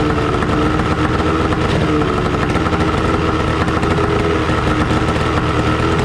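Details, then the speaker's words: 1996 Johnson 25 HP tiller outboard, long-sitting, new fuel line with primer bulb, carb float needle fixed, running on hose muffs; rough uneven two-stroke buzz, only stays running while pumping primer bulb, no water stream. Engine stalls without priming. "all right so a couple issues um it's not staying running unless i pump the ball also we're not getting any water so that's something i'm going to have to look into as well"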